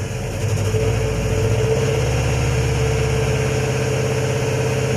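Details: Toyota Corona that would not start, now running on a borrowed ECU: smooth, even low idle with steady beat and no stumble or surging; idling normally, confirming the original computer box is faulty.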